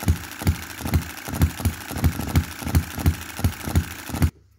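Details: 2022 Enjomor Chinese hit-and-miss engine after fixes (spare piston ring, corrected valve timing, leaded governor weights, added spring and adjustable stop for quicker latching): sharp single firing pops about 86 per minute, each followed by quiet coast; normal running.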